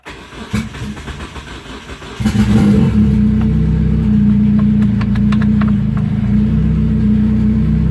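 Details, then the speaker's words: Turbo Hyundai Tiburon rebuild, first start in a while with a used starter. Slow cranking with weak firing, then it catches and settles into a steady, even idle; the owner thinks fuel pressure looks low afterward. "Oh, there she started. For the first time in a minute."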